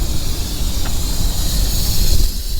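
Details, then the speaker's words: Owner-operator flatbed truck idling with a load of insulation at the Wyoming I-80 port of entry. A steady high hiss of escaping air sits over the low diesel rumble. The air dryer is leaking, and it was then fixed by bypassing it, splicing the airlines together. "That's my air dryer is leaking. So, what I'm going to do is bypass my air dryer."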